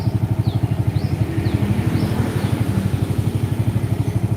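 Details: Single-cylinder motorcycle idling with battery disconnected, running only on a full-wave rectifier conversion: steady, even putter about three beats a second, no misses; stable when throttled, showing correct full-wave wiring.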